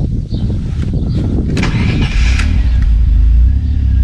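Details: Maserati 4.24V twin-turbo V6 that had run on five cylinders: after replacing a faulty spark plug it catches and settles into a steady even idle, no stumble or missing beat; now firing on all cylinders.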